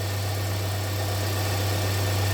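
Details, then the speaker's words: 2017 Hyundai Santa Fe Sport 2.4 after the P0301 cylinder 1 misfire work, started with codes cleared and check engine light off. Steady, smooth idle with an even hum and no misses or hunting: normal idle. "I expected to misfire a little bit and uh clear up so I get the coats cleared and should be good to go"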